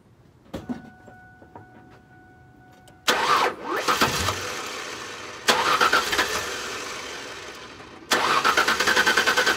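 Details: 1999 Mazda B3000 right after a new ignition coil was fitted, with plug wires placed 1/3/5 left and 2/4/6 right and the ground secured. Three separate cranking bursts, the starter churning steadily but the engine never catching; no start traced to the wrong ignition coil.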